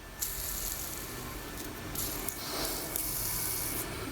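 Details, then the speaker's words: Riedell 120 quad skate, Radar Energy 62 mm wheels on Zenith Kwiki ABEC 9 bearings, after a year of skating: hand-spun wheel gives a gritty rasping rush with scratchy catches; dry bearings needing cleaning and oil. "Sounds like it's been through the street. Yeah, they all need a bit of oil."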